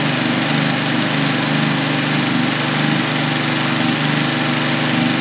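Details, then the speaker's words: Husqvarna HU800AWD mower after sitting nearly three years, running on three-year-old ethanol-free fuel, with the plug and air filter cleaned and fresh oil, blade not spinning. Steady, even engine note with no misfires or stumbles. Normal running. "okay that sounds really good yeah i mean that all checks out it now runs"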